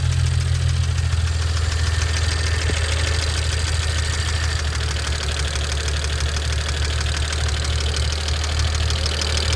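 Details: 2009 BMW 335i N54 at idle: very loud, fast, sharp unbroken ticking that gets louder with revs and doesn't stop once warm. Owner says it's not typical DI injector noise; it began after the JB4 firmware update.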